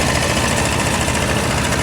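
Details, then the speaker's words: A/C compressor now staying engaged at idle after recharging with freon; a leak at O-rings appears to have stopped. Even engine idle with a smooth, continuous compressor drone, no cycling clicks or rattles, noticeably quieter; normal A/C compressor operation, air freezing cold. "Oh, the compressor is staying running now. Listen to this. And listen how quiet it got."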